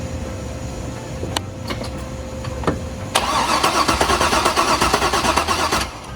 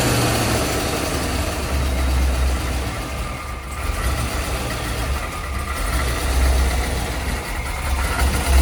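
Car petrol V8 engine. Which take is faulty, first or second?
first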